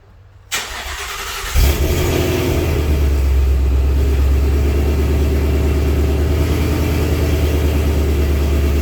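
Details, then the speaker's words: 2019 Vortech supercharged Mustang with burble tune, after installing an MBRP X-pipe and suitcase (resonator) delete, heard from inside: engine catches and settles into a deep, steady exhaust rumble with even low throb, no rattles or leaks. "give you an inside perspective of how the car sounds with an mbrp x-pipe and a suitcase delete"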